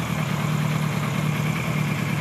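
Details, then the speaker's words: 1976 Kawasaki KZ900-A4 inline-four after correcting wrong exhaust cam timing, fixing two bad plugs and fitting a new exhaust. Smooth, even idle with a steady low hum and no misses or ticks. Carb sync is still slightly off; it runs well. "sounds good runs good so I want you to soak in that sound here for a moment because it's going to be important"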